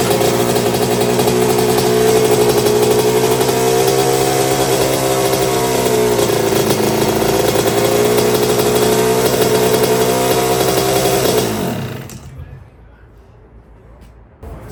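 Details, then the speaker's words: 1982 Suzuki RM125 two-stroke, freshly restored engine on first test run, cooling water issue noted for later: crisp rev holding a clean steady buzz, rising and falling smoothly before shutting off; engine sounds really good. "Sounds good. That's bike number 1. That engine sounds really good."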